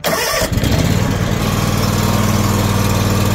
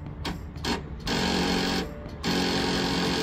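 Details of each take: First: Lawn tractor after winter storage, wouldn't start until the battery was replaced; cranks briefly, catches at once and settles into a steady even single-cylinder chug, no misses or knocks, running healthy. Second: Lawn tractor first start after winter storage: short labored starter bursts that never fire; slow cranking from weak battery, which would not charge even after cleaning connections and was replaced.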